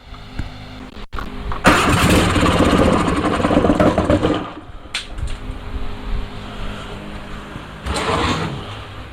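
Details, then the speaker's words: Onan Performer 20 hp engine: cranks, catches a couple of seconds with rough burst and dies; won't keep running, owner unsure of choke system, a wire came off. "well she fired up but she didn't stay running long I don't know what kind of choker system she's got"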